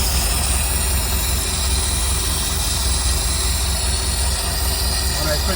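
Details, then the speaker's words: Ford F-100 idling with a constant high airy hiss coming from an unidentified open vacuum line at the intake side; covering it makes it sound and run better; vacuum leak. "So I've got this vacuum leak. You can hear it coming from right here."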